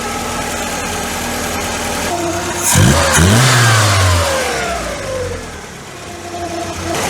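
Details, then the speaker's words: MK2 VW Scirocco 4-cylinder, after an accelerator-pump kick: a few blips, then a steady, even idle with no misfire or hunting; normal idle. "That's running quite neat actually. That's fine. Runs nicely like that."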